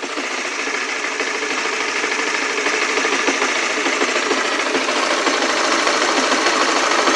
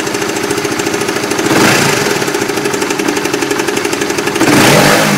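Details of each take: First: Small motorcycle engine (Oscar) after its nearly year-long "klotok-klotok" noise, now idling normally: steady, light, even deg-deg-deg patter of about three beats a second, unlike the earlier knocking. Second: Motorcycle (Oscar) engine with intermittent uneven knocking ("kelotok-kelotok"), about four knocks a second, swelling as revs rise; sometimes runs normal; ongoing about 7 months to almost a year, owner first suspected loose bodywork.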